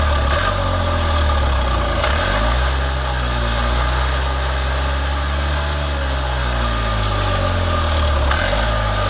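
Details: Columbia Parcar (Freightliner-badged) gas golf cart, revived after not turning over: low, steady putter at idle with an even beat and no knocks or misses; normal idle.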